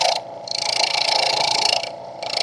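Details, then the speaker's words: Wood lathe turning a Christmas tree on a Vicmarc #3 eccentric Escoulen chuck, cutting close to the headstock with a slightly bigger cut: even hissing in steady passes, short pauses, no vibration, buzzing or rattle. Smooth cut, no chatter. "I'm sorry I'm close to the headstock and as you can hear you don't hear that vibration"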